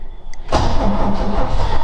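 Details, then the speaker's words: Ford XA Falcon parked outside for years, unknown history, on starting fluid: starter whirs, engine kicks briefly with a rough burst and won't keep running; owner plans to pour gasoline down the carburetor, fuel starvation suspected. "ooh we actually had a kick then I might actually have to put some gasoline down it"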